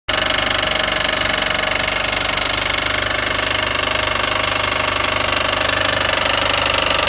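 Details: 2007 Mitsubishi Eclipse GS 2.4L running: loud, fast, steady metallic rattle over the engine; alternator tested fine, timing belt slightly loose, source of the top-end knock unknown.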